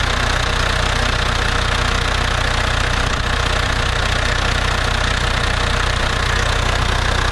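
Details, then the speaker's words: International Harvester TD-7 Series C bulldozer diesel after Bosch VA4 injector pump rebuild, new battery, starter fluid: firm regular clatter about three beats a second, no miss or hunt, no leak; normal idle. "the fuel pump is good there's no leak and the desert start fine and run fine"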